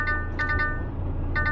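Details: DAF CF Euro-6 AS-Tronic truck idling after a gearbox modulator swap: two bursts of three quick chime tones over a steady diesel hum, the dash warning of an AdBlue dosing malfunction.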